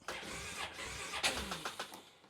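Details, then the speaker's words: 2010 Polaris Sportsman 550 XP with 3,000 miles, first start after oil refill following a stripped drain plug repair. The starter turns sluggishly for about a second before it catches and sputters. The battery is weak, possibly drained by an LED light bar's red light. "Battery's a little weak."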